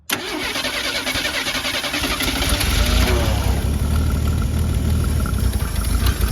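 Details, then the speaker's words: Mercury Zephyr Z7 GS Fox body with rebuilt carb and half a tank, cranking: starter whir, no start; the new fuel pump delivers no fuel to the filter; pump failure, possibly corrosion, suspected. "He is not pumping a bit of fuel. No. It isn't pumping any fuel at all."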